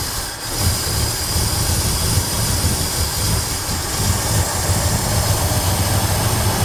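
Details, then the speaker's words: Ford F100 truck, bought without being started, restarted after sitting in case it had flooded: it catches quickly and idles with a steady, even low rumble, no misses or knocks. Idle setting still to be checked; no coolant yet. "so as this thing's idling up I need to make sure that uh the idle's set right but I just want to make sure that it runs"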